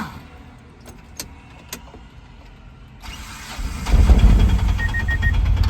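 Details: 2024 Mahindra Jeeto BS6 diesel after DEF tank refill and NOx sensor error fix, no DTCs or cluster lamps: a few quiet clicks, then the engine fires promptly and settles into a steady, even low idle rumble; healthy start.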